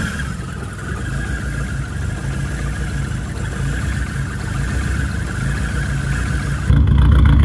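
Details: Rebuilt VW Mk1 Rabbit engine idling after re-torquing bearing caps with oil pan off (cheap torque wrench blamed); steady, even idle, smooth low hum, no knocking or tapping over several seconds; normal idle, owner still wary.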